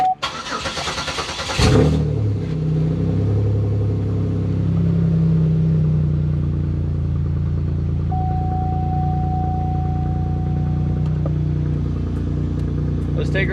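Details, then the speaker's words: Pontiac Bonneville 3800 V6 after new spark plugs fitted for a misfire: catches after a brief crank and settles into a steady, even idle with no shaking, normal. "you see it's not shaking no it's actually chilling right out"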